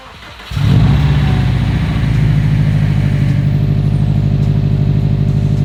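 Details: 2015 Subaru STI with a rebuilt engine on its first start: it catches after a brief crank, flares up, then settles into a steady, even idle with no knocking or ticking; it runs smoothly, with only an O2 sensor bank 1 code from an unplugged sensor.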